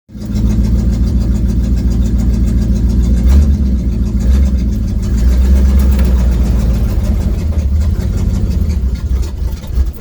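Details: 1972 Ford Mustang V8 gives a deep, loud, rough rumble with an exhaust leak while driving, recorded from a phone on the dash in the cabin.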